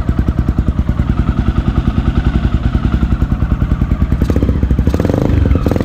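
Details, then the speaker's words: 2008 Honda Twister 250cc motorcycle after slightly adjusting carburetor idle screw, previously hard starting and not holding idle: even steady single-cylinder thump just over three beats a second, no stumbles; normal idle, still hesitates on acceleration. "Ué aí é galera a lenta dela ficou boa vocês viram aí"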